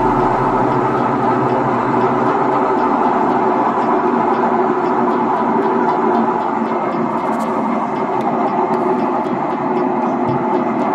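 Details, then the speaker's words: Sharp 8 kg top-load automatic washing machine in spin: loud, rough droning roar, noisy during rinse and spin, typical of a worn gearbox/clutch assembly. "ang problema guys ay yung k ng inyong naririnig ay maingay siya Okay so maingay siya ang pag siya nagspin o nag [Musika] ah-in siya ay maingay"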